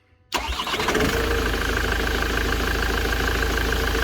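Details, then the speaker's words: Van after fixing an intermittent starter motor fault. A current check shows the draw has dropped and it turns more easily; a quick crank catches immediately into a steady diesel idle. Clean, normal start. "So that's gone down like I said. There we go, yeah. Doesn't take as much to turn that and to start it."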